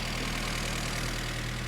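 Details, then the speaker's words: 1975 Mini Clubman estate with an engine stored 12 years: steady, even low throb with regular beat and no knocks or misses; idling cleanly. "so will it run will it start yes it will there it is ticking over"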